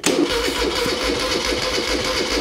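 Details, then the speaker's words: 1975 Moto Guzzi 850T, unused for over 10 years, with two-stroke fuel mix squirted in to get it going: cranks and catches in a few ragged bursts but never settles into a steady run. Fuel-starved start. "on oh that wants to run it's gonna sound awesome"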